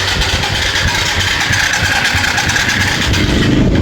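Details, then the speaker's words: Old Yamaha FZ motorcycle cranks, churns and sputters about three times a second, firing briefly but never staying running; strong spark at the plug, so fuel tank to be checked for water. "Yan. Hanggang ganun lang siya mga boss. Yan ayaw niyang tumuloy yan."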